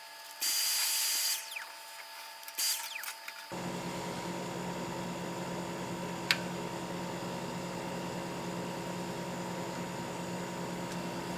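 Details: Vissani mini wine fridge after repair: after handling noise, a steady even hum settles in as the compressor runs; interior dropped from 72 to 64.5°F within minutes, normal compressor running.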